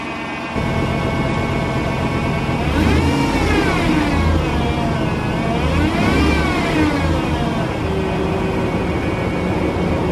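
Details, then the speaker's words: Jeep Grand Cherokee, 147,000 miles, hydraulic power steering at idle: a whine rises and falls in pitch as the wheel is turned, a pump moaning under load; a mechanic called it normal and expected it to go away, cause unconfirmed. "I'm gonna start up the Jeep and I will demonstrate the noise you can hear that wine"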